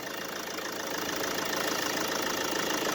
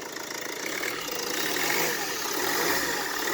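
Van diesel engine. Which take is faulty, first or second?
first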